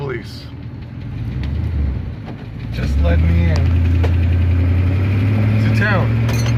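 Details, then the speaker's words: V8 climbing a hill after new spark plugs fixed running on about 6 of 8 cylinders (cracked, corroded, gapless old plugs) and idle turned down: steady, even drone with no misfire or stumble; running smoothly. "You can hear the motor is running beautifully. I just put in new spark plugs. You can hear she's running beautifully."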